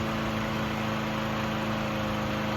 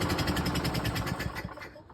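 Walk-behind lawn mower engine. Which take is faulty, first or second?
second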